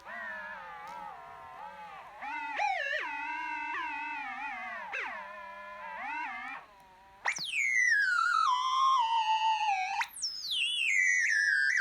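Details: MacBook Pro making a pitched electronic whine that warbles and sweeps up and down in bursts; source of the noise unclear.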